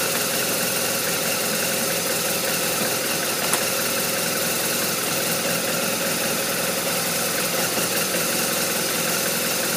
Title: RT1200RT Rough Idle